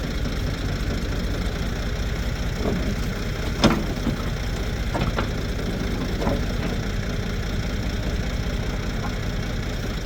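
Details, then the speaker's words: 1973 Ford 4500 industrial diesel backhoe, revived from scrap, digging stumps under load: deep steady diesel rumble with bucket clunks, pulling evenly without knock; machine ran great all day. "It's the end of the day, and machine worked great the whole day."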